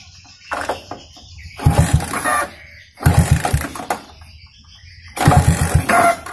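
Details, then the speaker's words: Yamaha Vixion single-cylinder with modified carburetor and Shogun-style ignition, stock plug wire, no tank fitted: catches and revs in short blips with a rough, knocking note between bursts; judged normal, no problem. "Pasang normal ya, nggak ada kendala, normal aja Kang Bro, nggak ada masalah."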